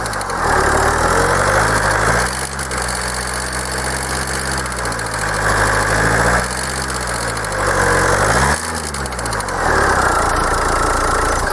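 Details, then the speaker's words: Kia 2.0 CRDi Bosch common-rail diesel at operating temperature, idling: clattery tapping knock rising and falling as revs are blipped, absent when cold; injectors suspected first, but cause turned out elsewhere, still unconfirmed here. "No i tak jak widzicie przydźwięk jest bardzo niemiły by może już komuś znany"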